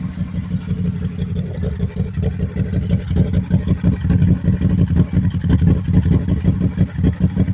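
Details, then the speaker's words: 2010 Can-Am Spyder RS 990 three-wheeler, Rotax twin: deep, loping burble at idle with lumpy pulses and throttle blips rising and falling, rowdy and healthy; normal idle and revs. "kind of a rowdy sound to it. Sounds kind of good. When you get on it, it sounds good too,"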